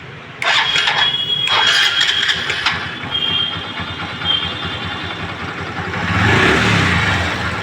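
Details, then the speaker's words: Honda Dream Yuga after engine rebuild (the crank had jammed; connecting rod, piston and bearings replaced): the starter whirrs, the engine catches into an even idle and revs smoothly with no knocking. The old crank noise is gone; normal start and rev. "दोस्तों गाड़ी sound अच्छा आया गाड़ी का sound आप सुन सकते हैं पहले साउंड कैसा आ रहा गाड़ी में तो दोस्तों साउंड उसका तो अच्छा आगे जाएगा जो क्रैंक की आती थ उसम आवाज पूरी हो चुकी खत्म उसमें"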